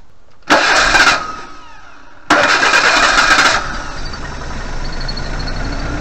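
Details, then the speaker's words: 1988 Suzuki Vitara 1600 auto, carburettor, standing since 2004: two short cranking bursts catch and run briefly on petrol dribbled into the carb, then die, so fuel isn't reaching the carburettor; fuel supply fault. "this time I'll just dribble a bit of uh petrol yeah we've got some fuel here in this bottle we'll just put a little dribble down the cardboard I feel like that we'll just see if it fires"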